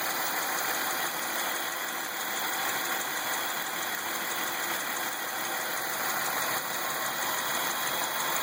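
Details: Ecotec 3800 3.8 V6 in a 2003 Lumina idling: a light, fairly loose tick of about three per second over a thin hissy engine sound; other noises possibly from the alternator, cause unconfirmed.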